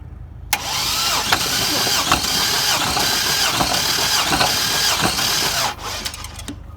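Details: Junkyard 2005 GMC Envoy 4200 Atlas inline-six, cranked with a remote starter during compression testing: steady cranking about three and a half beats per second, even rhythm without dropouts; readings around 180–188 psi, balanced and healthy.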